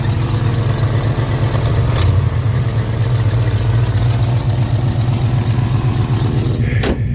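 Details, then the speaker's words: 1991 OBS truck V8 warming up at idle, with a deep rumble and a high, shrill belt squeal chirping about four times a second, much louder from one side of the engine bay than the other. "not only that belt squeal, but if you listen from this side, you don't really hear anything. But then when I come over here, now you hear how ugly it sounds?"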